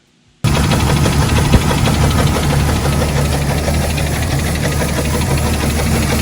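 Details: Jeep 4.0 inline-six with rebuilt head, recorded when it failed: heavy, loud, rapid knocking over rough idle with deep rumble; owner suspects lower-end (bottom-end) damage, top end looks fine on teardown, not yet confirmed.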